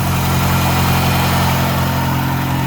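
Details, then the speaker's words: 1989 Dodge Shelby Daytona turbo, sat about 14 years, running on 10–12-year-old gas, engine possibly swapped: steady smooth low idle with no knocks or misses; normal idle. "I guess this is a testament to all the it won't run out of old gas it's purring on old gas"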